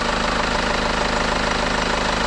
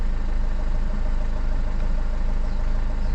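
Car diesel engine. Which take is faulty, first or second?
second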